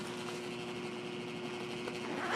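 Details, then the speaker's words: Trane 7.5-ton rooftop unit, rollout switch found tripped; with 238 volts applied the inducer motor is seized, a faint steady electrical hum with no fan spooling up; inducer assembly later replaced. "I don't know if you guys can hear it but that new motor is locked up locked up pretty bad so I'm gonna check real quick my uh"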